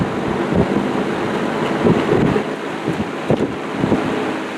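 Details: Old rusty table fan restoration, after oiling the motor: just a soft even rush of air, no hum, rattle or squeak; much quieter, normal running, though end play noise remains and thrust washers are still needed.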